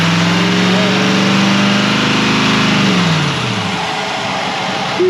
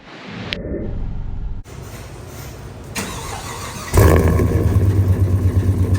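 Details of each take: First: 2020 Chevrolet Silverado 3500 L5P 6.6 L Duramax turbo diesel with a Banks intake and turbo pipes, revved to about 3,000 rpm and released fast: a rising turbo whistle rides on the roar, then falls away smoothly; healthy turbo spool. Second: Gasoline Silverado engine with K&N intake (owner reads it as a 5.3): starts into a loud, uneven rumble with a rough rapid clatter underneath; sounds like something coming apart, a spun rod bearing.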